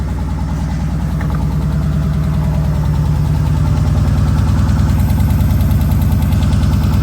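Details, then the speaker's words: Dodge 6.4L Scat Pack or 6.2L Hellcat V8 at first start after oil pan and gasket replacement: a steady idle with a light tick of two to three a second, judged an exhaust leak. No oil leaks were found. "are you hearing that dick or no that's exhaust leak yeah yeah so huh it's always sound yeah it sounds like an exhaust leak that's what it is"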